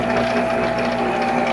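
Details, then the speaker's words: Monarch 10EE lathe during refurbishment, threading at slow speed: steady mechanical whir with a fixed tone, seemingly from the headstock area, still present, source not pinned down; gear train noise. "i don't know i still hear noise"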